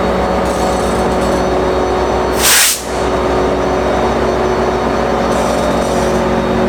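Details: NJ Transit PL42AC #4000 with an EMD 710 diesel, idling: steady vacuum-cleaner-like whirring tones over the rumble with one brief air hiss; an unusual noise of unknown cause.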